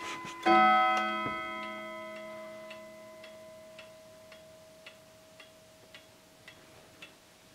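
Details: Howard Miller 61318 clock with Kieninger Westminster chime movement, after bending apart two touching chime rods: one clean ringing note decays evenly, followed by a steady tick; rods ring freely without a doubled note.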